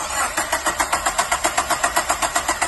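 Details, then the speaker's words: Mazda Miata NB (2nd gen), 25,000 miles: steady, even cranking at about seven pulses a second with no firing. A no-start caused by the failed original Mazda cam sensor, which was then replaced. "many no start issue well this is probably what you want to take care of is the cam sensor this is the original Mazda 1"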